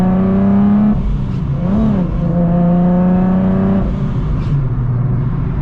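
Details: Nissan 370Z with a newly installed Soho supercharger kit, after a belt fix: clean smooth revs climbing and falling with even tone, no belt slapping or shredding; healthy supercharged acceleration.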